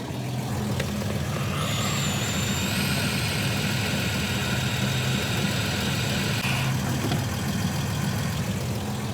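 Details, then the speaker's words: 1969 Volvo 164 at steady idle (13.5–13.6 on the idle reading) with a loud airy hiss and thin whistle for a few seconds as the brake pedal works; brake servo/booster failed and leaking, needs replacing. "well i'm going to go ahead and rule out my uh brake servo as not working"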